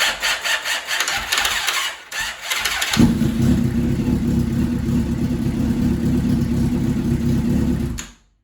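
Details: 2001 Suzuki GSX-R1000 K1 after clutch pack replacement and starter idle gear reassembly, battery fully charged, hot or cold alike: short, uneven cranking bursts failing to catch, sometimes starter screams, then fires to steady idle; intermittent starter engagement.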